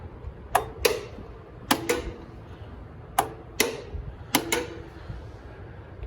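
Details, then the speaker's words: Grasshopper 227 zero-turn mower after repairing a broken wiring harness to the electric PTO blade clutch; sharp metallic clicks in close pairs as the clutch snaps on and releases. Normal PTO clutch engagement click. "The blades, you should physically hear the clutch popping on."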